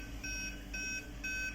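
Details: Aquaguard water purifier with red light stuck on: three even high beeps about half a second apart, repeating; error alarm stops once the replacement sensor is seated and connected.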